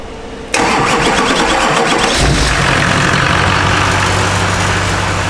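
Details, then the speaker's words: K20 pickup with diesel swap, fuel leak at #1 injector hose just quick-fixed, no throttle response: half-second crank, then catches and settles to an even, fairly quiet diesel idle with no knocking; normal start, quieter than expected. "Truck sounds good though. We thought it'd be way louder."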